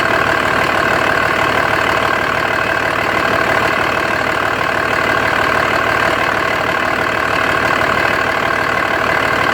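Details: 2004.5 Dodge RAM 2500 Cummins turbo diesel idle: steady clatter with slightly uneven, loping beat; owner asks if normal, excessive vapor from oil fill cap (suspected blow-by); rough idle, cause unknown.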